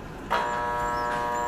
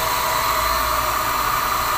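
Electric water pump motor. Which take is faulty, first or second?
first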